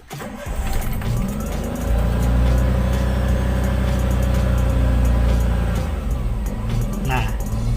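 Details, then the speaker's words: Car with hunting idle at start, rpm above 2000 and rising and falling with no throttle input, normal being 800–1000; idle surges, holds, then sags; faulty idle speed control (ISC) actuator suspected. "Oke jadi temen-temen YouTube bisa lihat tadi kondisi RPM itu sangat tinggi diatas 2000 dan RPM nyamain naik turun nggak stabil"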